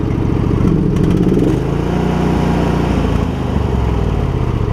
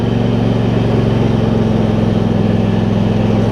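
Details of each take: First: Husqvarna YTH2348 riding mower idling: small single-cylinder engine with uneven, loping beat that sags and recovers; rough idle, owner suspects low fuel or the plugs, not confirmed. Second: Husqvarna YTH2348 riding mower, now 647 hours after ignition left on for two days: smooth, steady thump at constant speed with no misses or surging after air filter replacement. Normal running.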